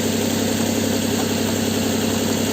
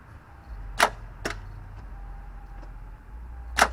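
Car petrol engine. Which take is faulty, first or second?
second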